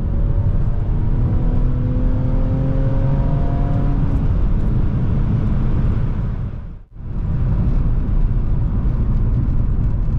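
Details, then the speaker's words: BMW E46 325ci driven, after owner welded its leaking exhaust headers (leak present about 6 months): deep even exhaust drone rising with revs, dipping on a shift; clean, no leak puffing. "This is exactly what I was hoping these headers would sound when they're clean. They still have a good bark. Just loud enough so you can hear them, but not obnoxious."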